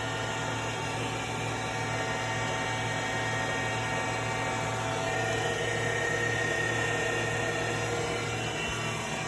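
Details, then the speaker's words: 2012 Tormach Series 110 CNC mill, spindle running and ramping toward speed 10, oiler pressed at intervals: steady even motor hum, faint constant whine, no knocking or rattling; normal spindle running. "You can see the spindle spinning now, hear it."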